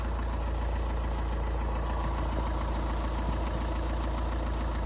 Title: Стук на холодну, Шкода А5, 2.0 тді 125квт